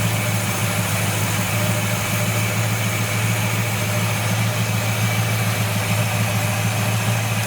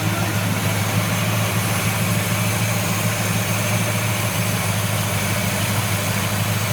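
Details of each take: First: 1970 Buick Wildcat V8 with Quadrajet carburetor during tune-up, idle being adjusted and raised: steady even low idle with smooth burble, no misses or knocks; engine happier at the higher idle. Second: 1970 Buick Wildcat V8 with Quadrajet carburetor at tune-up: steady, low, smooth idle rumble that rises as the mixture screw is adjusted toward the sweet spot, engine running happier.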